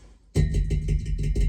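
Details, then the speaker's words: Unvented hot water cylinder service: a hand tap test on the teed-in expansion vessel gives dull, hollow knocks, so it could be waterlogged; its air charge is to be checked with a pump at the top valve. "That sounds more hollow. So that could have water in it."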